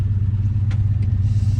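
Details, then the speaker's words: Junkyard turbo truck of about 700 hp on a drive: low rumble with a rhythmic pulsing clatter; unsure whether it is an exhaust leak or knock, a spun bearing is doubted; engine knock of unknown origin. "oh that sounds so good good is that is like exhaust leak or knock you hear that yeah you have oil in it"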